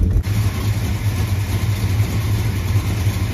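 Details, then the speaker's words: 1976 Dodge Dart Swinger with a 340 V8, after small fixes. Deep, steady, even burble with no misses or knocks; a healthy, normally running engine. "okay why does it sound so good now just stupid little stuff dude listen to this thing this is a good engine"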